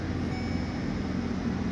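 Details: U-Haul truck that lost oil pressure and ran rough after starting, restarted: steady, even low rumble at idle with no knocks or hunting, oil pressure holding.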